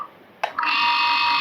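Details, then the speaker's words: Water pump motor kicks on and settles into a strained, shrill hum with a tight edge; bearings binding because the end cover is pressed on too tight. "आवाज कर रही है ना ये दोस्तों ये आवाज क्यों कर रही है क्योंकि दोस्तों ये मतलब पूरी तरह से प्रेस हो रखी है इधर से कवर इधर से प्रेस हो रखा है"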